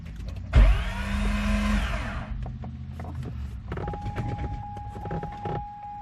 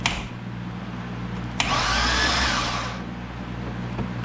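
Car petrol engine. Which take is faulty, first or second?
first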